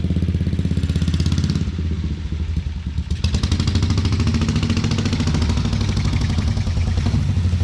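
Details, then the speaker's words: 1950 BSA B33 single-cylinder motorcycle after rebuild: big single thumps around two hundred beats a minute, revs rising without the bike taking up drive as it tries to go forward; clutch slipping, not grabbing, plates found shot. "yeah I think the clutch needs replaced we're not getting enough grab"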